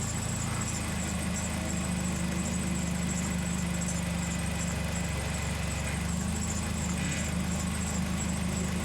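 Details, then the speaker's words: 2004 Toyota Celica GT idling after power steering fluid was refilled and bled for hard steering: steady, even idle with a soft low hum; the earlier very loud pump noise is gone; quiet power steering. "already tell this is a lot better than before there's the noise is gone before it was just this incredibly loud noise very very loud"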